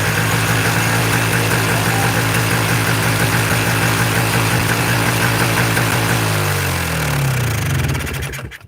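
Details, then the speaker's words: Two-stroke Polaris 400L quad after a piston rebuild, started on its original carburetor: fast, steady buzzing idle that never settles, then dies away; still idling far too high even with the throttle cable fully down. "Yeah, still idling way too high. There we go. So, actually though, so the throttle cable was all the way down."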